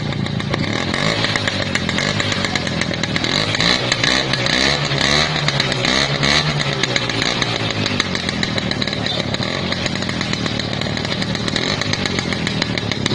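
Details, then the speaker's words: Restored 50-year-old once-seized Lambretta two-stroke scooter, kick-started and throttle blipped; buzzy running with revs swelling and settling back, picking up cleanly, normal healthy running. "Son du moteur de la Lambretta Donner de l'accélérateur à la lambretta"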